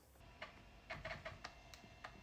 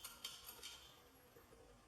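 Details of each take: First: Compaq Contura Aero 4/33C with replacement floppy drive on hardwired PCMCIA adapter: irregular quick ticks and short buzzing seeks while booting; normal floppy drive operation. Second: Compaq port replicator for a Contura Aero 4/33C shaken by hand: light, scattered clicks from a loose piece inside. Part of a screw housing had broken off; the fix is to glue it and weld the plastic.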